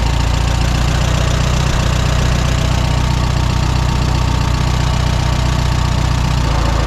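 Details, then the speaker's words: 1954 Allis Chalmers WD45 tractor at idle after hydraulic seal repair: gentle continuous rubbing from the bell housing, not a knock, bang or grinding. It disappears with the clutch pedal pressed and returns on release; source undetermined. "I've got a strange noise coming from up here in the bell housing somewhere it's not a knock it's not a bang it's not a grinding noise it's more like a gentle rubbing noise"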